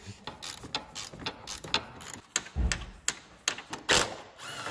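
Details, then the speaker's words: Door on a Renault Scenic or Peugeot swinging open: uneven sharp clicks and ratcheting snaps under a second apart. The door check strap, taken by the wind, is bent and worn out; it is being swapped for a new one. "you can see that it's absolutely knackered it's all bent yeah uh this is the new one we're going to put in so it's just literally a straight Swap and we should get rid of this noise"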